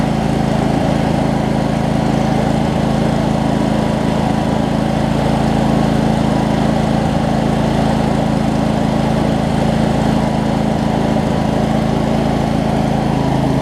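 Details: Craftsman DLT 46" riding mower, 25hp Briggs and Stratton V-twin, first run after sorting basketcase wiring: loud, steady, even drone at constant speed, no misfires, surging or knocks; runs good, some smoke burning off. Normal running.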